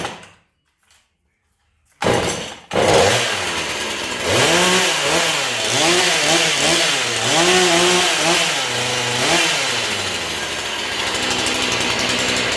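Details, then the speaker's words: Repaired Husqvarna 440 chainsaw, choked, bar and chain refitted (chain slightly loose): starts after a pull, crisp two-stroke buzz rising and falling with throttle blips, clean and steady; saw runs great. "But the saw runs great. I'll go ahead and crank it up here and let you listen to it."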